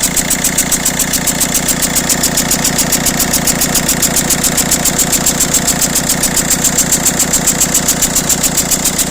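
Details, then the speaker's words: Peugeot/Citroën DV6 1.6 HDi diesel at idle: sharp, regular ticking chuff about two beats a second over the clatter from exhaust gas blowing past the injector seal between injector well and cylinder head, polluting oil and known to cause turbo failures. "vous l'avez entendu qu a connues sur les moteurs des v6 donc indique 6 hdi cette soupape problème récurrent qui engendre des casses turbo donc les gaz d'échappement arrivent à pénétrer à travers le joint tous ici là entre le puits de l'injecteur et la culasse et ça vient polluer l'huile"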